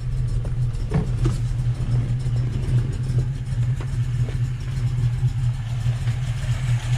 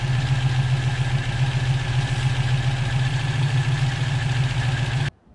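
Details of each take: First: Volvo B18 engine with Weber 32/36 carburetor, idle mixture screw set near base setting during tuning: rough, stumbling idle with uneven low thumps and a faint hiss, barely running; lean misfire at idle. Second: Volvo B18 engine with Weber 32/36 carburetor after idle circuit retuning, mixture screw at 1¾ turns, K&N filter: steady, even idle with a smooth low beat and no misses or hunting, then shuts off; normal idle.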